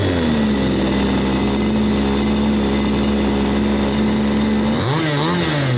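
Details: 1/5-scale RC Baja engine that needed only repair, not a full rebuild, unknown age: even, steady buzzing tick-over, then a crisp blip of revs rising cleanly and dropping back. Runs smoothly and healthily.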